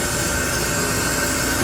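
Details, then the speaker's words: 2008 Toyota HiLux 2.7 that stopped on a roundabout with no compression: engine not running, compressed air fed into cylinder gives a constant rushing hiss back through the inlet manifold; inlet valve not sealing. "so we go compression escaping the inlet valve"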